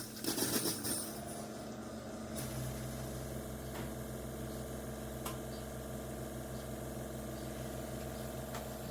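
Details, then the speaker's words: Chefman single-serve coffee maker with 40-ounce reservoir; quiet low pump drone with faint hissing and scattered ticks before brewing, abnormal, then it shut off early leaving water unused. "Okay, here we go. Pretty sure it shouldn't be doing that either."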